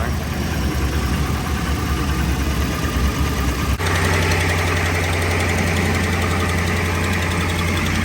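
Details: 5.7 HEMI Ram 1500 V8 after resurfacing warped exhaust manifolds, replacing broken studs and fitting new gaskets: brief blip, then a steady even idle with no exhaust manifold tick anymore; normal idle after repair.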